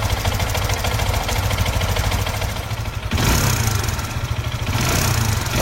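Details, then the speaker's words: SYM VF3i: a fast metallic rattle over the idle that gets harsher when blipped; a loose timing-chain tensioner has left the timing chain slack. "Okey, dalam video ni saya tunjuk macam mana bunyi kalau diakibatkan oleh tensioner kita longgar, yang mengakibatkan kita punya rantai kita jadi kendor."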